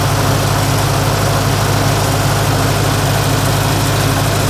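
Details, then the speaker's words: Lincoln SA-200 welder engine recently converted to electric ignition with a new carburetor: even steady drone at constant speed with no stumbling or surging; running smoothly. "I just recently did a little work on my SA, converted this into electric ignition, rebuilt the, well, not rebuilt, I actually bought a new carburetor, and it runs nice."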